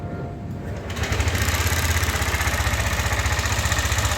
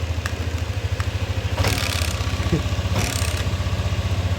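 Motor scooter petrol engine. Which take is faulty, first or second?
first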